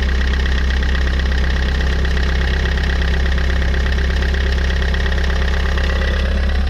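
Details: Fiat 500 idling with the alternator belt removed: even, steady low idle with no scrape or whirr, confirming the earlier noise came from the alternator; normal idle without belt noise.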